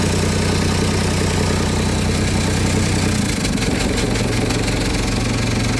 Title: exhaust leak